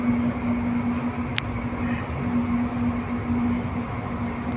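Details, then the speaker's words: 11 kW AHU blower motor that won't start, high current: loud steady strained hum with no run-up; single-phasing, only two of three phases passing through the defective soft starter. "इसके अंदर दो face जा रहे हैं एक face नहीं जा रहा ठीक है मोटर की आवाज जो है ऐसे मतलब बहुत जोर से आवाज ए रही है"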